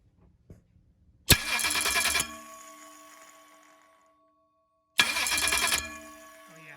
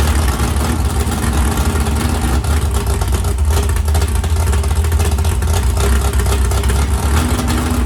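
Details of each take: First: Ford 351 Cleveland 409ci engine on a run stand, starter on a Dark Horse Mustangs 164-tooth bracket without bell housing; two short harsh cranking bursts with metallic gnash, starter not meshing because 7/16 bracket holes on 9/16 bolts leave slop; shim planned as fix. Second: 769hp 409ci Ford 351 Cleveland on engine run stand, after starter grinding fixed via bracket without bell housing: deep, even drone held steady, no knocks, misses or whine; healthy running motor.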